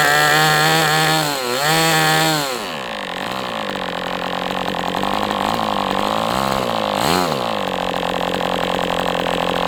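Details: MDS 68 FS Pro engine during break-in at operating temperature, still tight: screaming at high revs with a few blips down and back up, smooth and steady; running well, better than with the idle bar plug.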